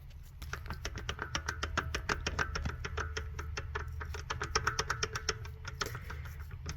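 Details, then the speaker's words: BMW E92 335xi N54, driver-side front axle rocked by hand: a rapid run of sharp metallic clicks and knocks from a worn joint with excess play and a leaking boot. It caused vibration under acceleration; the axles were replaced. "I don't know if you can hear that so that's not that's not normal that's supposed to do that"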